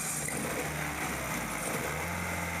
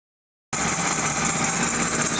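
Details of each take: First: 1999 Kia Sephia 1.8L DOHC with check engine light on, misfiring and running rough. Uneven, lumpy idle that stumbles irregularly; the misfire was traced to a carbon-tracked spark plug wire. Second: 1998/1999 Kia Sephia 1.8L DOHC with P0301–P0304 misfires, after replacing carbon-tracked spark plugs: after a short silence, steady, even idle with no stumbling or uneven beat; runs smoothly on all cylinders; normal idle.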